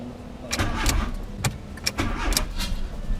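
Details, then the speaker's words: Fiat Super Seicento petrol car, cold start after sitting idle about 2 months, fresh petrol with Red-X added and battery negative strap reattached: uneven cranking bursts and a few stuttering attempts before it catches and fires up; normal start after storage. "There you go. There you go. Sat idle for 2 months and it just fires straight up."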